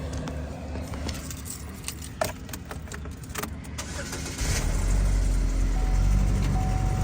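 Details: 2011 Chevy Equinox being repossessed: keys jingle, engine catches at once and settles into smooth steady idle; healthy quick start.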